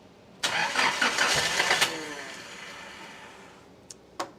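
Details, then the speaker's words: Nissan 200SX on a Speeduino Ocelot standalone ECU, first startup attempt, injectors confirmed working: about a second and a half of fast, rough starter whirring that dies without catching. It cranks but won't fire; a key reset to build fuel pressure is suspected to be needed. "We had noise. It attempted to do something. Might need a key reset."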